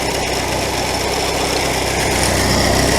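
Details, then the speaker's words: Classic VW Scirocco carbureted engine, revived after sitting a year, at idle: faint hiss/chirp from a vacuum leak at the carburettor base; revs change as the very loose carb base nuts are tightened, idle settles to 850, some air leak remains. "But for now, I can hear the vacuum leak chirping. It's coming from down there 100%."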